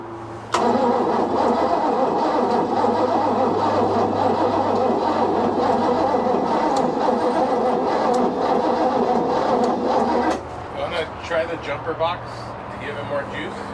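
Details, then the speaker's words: 1988 Bayliner Avanti 3250, starboard 260 HP 5.7 L Chevy 350 (replacement used engine), OMC Cobra outdrive, sat 6+ years: even cranking for about ten seconds without a single flub, no spark; points ignition. "we're not getting a spark we should be getting like even a little flub but we're not getting even a flub you know so it's concerning"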